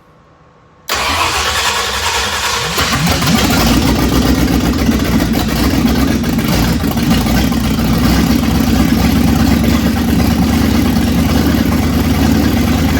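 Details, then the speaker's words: 1965 Ford Thunderbird FE 390 V8 with Pertronix ignition: catches and runs rough, hunting at fast idle, its longest run so far; owner suspects a fuel issue, gas tank line had not been connected. "that's definitely the longest it's run so I think it is a fuel issue if anything right now"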